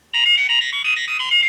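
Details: Customer's OmniBot 2000 robot (with tray) in for repair: during a function check a bright, clean electronic tune plays for about a second and a half with no crackle or dropout; the sound function works properly.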